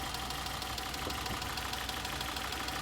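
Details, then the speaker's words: 2011 Citroen C3 petrol, 1.2 or 1.4, rough uneven idle from cylinder four misfire; P1340 excessive misfiring cylinder four returns after camshaft codes; coil previously suspected by recovery service; check engine light on. "so we have a p1340 fault excessive misfiring on cylinder four not characterized so it's actually no showing the camshaft codes but showing this again so it's back to misfire"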